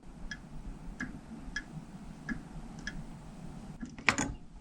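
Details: RV oven igniter set to pilot while knob pushed, during fix of pilot that won't stay lit (thermocouple suspected): sharp, evenly spaced clicks every half to two-thirds of a second in a quiet room; igniter sparking normally to light pilot.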